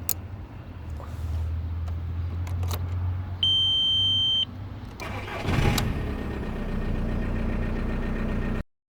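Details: VW Bora Mk4: the starter cranks steadily at a few turns per second, a chime sounds, then it cranks again with no catch. Crank but no start; relay 109 (fuel shutoff valve relay) is suspected, not confirmed.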